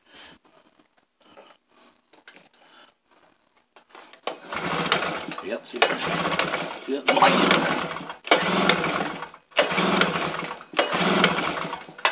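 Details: Tailgator that ran when first bought, then sat about three weeks: six or seven one-second cranking bursts, roughly one every 1.3 seconds, with no catch; cranks fine but won't start, cause unknown.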